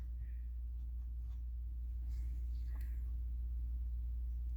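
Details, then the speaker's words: Clutch throwout (release) bearing, which rubbed slightly before, now fitted with a spacer: only a low steady hum with faint light ticks and no rubbing or scraping. Totally quiet after the fix. "So I put this on there just as a spacer. Totally quiet."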